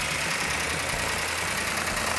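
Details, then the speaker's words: Freshly built 1970 Plymouth Cuda 440 Six Pack with big camshaft, initial startup, no smoke: fast, light ticking over an even idle; slightly noisy valvetrain, normal for a new engine. "got a little bit noisy valve train which is normal on a new engine"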